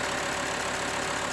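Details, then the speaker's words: 2005 VW Touareg 2.5 TDI that had a terrible rattle at idle and while driving, traced to the A/C compressor drive coupling; with a hack fix leaving the compressor inoperative, it settles into a steady, even diesel idle with no rattle. "So we'll put it back together and let you hear how it sounds. It works perfect minus compressor."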